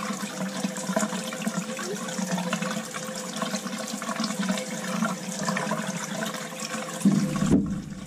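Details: Crown hydronic boiler, no heat at start of heating season: purging second-floor zone into bucket, rushing sputtering water with irregular crackle, lots of trapped air pushed out of heating pipes.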